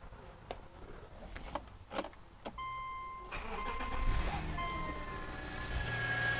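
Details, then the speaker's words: 2005 Subaru Outback 3.0 H6 after repair of a crank-no-start. A few knocks, then a brief crank, and it catches and settles into an even run under a chime. Slightly long crank on the first start, now starts normally. "it took a little longer to crank it over the first time but yeah doing fine now"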